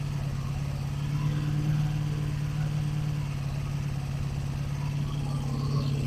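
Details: 1985 Honda Magna V30 first start after JB Welded tank, ignition bypass and carb rebuild, radiator fan unplugged: lumpy, uneven low run with irregular beat and valve chatter clatter; one cylinder low compression from misadjusted valves.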